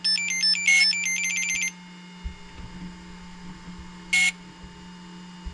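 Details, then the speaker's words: Hobbywing XRotor X6 Plus DroneCAN motor on bench, powered by two 4S batteries in series: rising power-up tones, then single beep every 2-3 seconds; ESC ready but Cube Pilot flight controller not yet communicating. "You can hear it just going beep about every 2-3 seconds. That's what we want. That means the motor is happy and ready, but the speed controller, or actually the Cube Pilot flight controller, is not talking to the speed controller yet."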